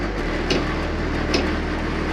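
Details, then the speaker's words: New Happybuy/Vevor Chinese diesel heater in a van, which had thrown error E-08, restarting on the H3 setting: three sharp ticks about a second apart over a low hum. Fuel pump sounds abnormal, with white smoke and no heat; cause not yet confirmed. "doesn't sound good though"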